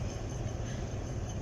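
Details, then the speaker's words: 2002 Chevy Trailblazer stored abandoned for two years: deep, rough idle with an uneven, stumbling beat from a misfire, OBD2 code P0300. "yeah baby got it running all right I guess she holding but we definitely got a misfire yeah"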